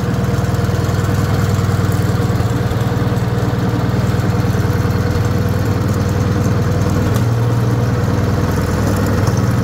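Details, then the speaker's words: Wisconsin THD air-cooled engine with flush-fitting alternative head, cranked up: steady even low-pitched beat, no knocks or rattles; running smoothly, head makes it quieter. "I just kind of thought that head was cool, but man, it definitely makes it quieter"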